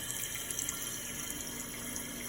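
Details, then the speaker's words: Toilet after the noisy fill valve was replaced: a soft, steady hiss of water refilling the tank with no whine or squeal, so the fix worked. "Ain't no after noise, you heard it. Let's do a flush and just see. I can turn the noise down too. It's still refilling, it just ain't making that much noise."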